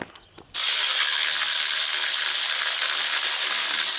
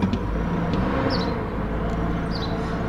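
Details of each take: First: Removed water pump from a 2006 GMC Envoy spun by hand, no engine running: dry gritty rasp throughout from a worn-out bearing, being replaced along with the alternator. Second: 2006 GMC Envoy just after replacing alternator and water pump, VVT sensor code present: smooth steady idle, even low drone, no knocks, ticks or squeals; slight miss sometimes in first 20 seconds, healthy now.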